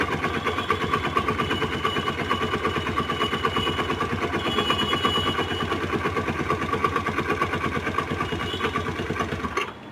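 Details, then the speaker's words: Old-model Honda Activa scooter engine that seized from oil starvation after a leaking seal let the oil run low; harsh, rapid clattering knock at about three beats a second as it struggles to run, engine to be opened for rebuild. "गाड़ी हो चुकी है पूरी seize इसका हम खोलेंगे और बताएंगे इसके बाद क्या-क्या सामान डलता है"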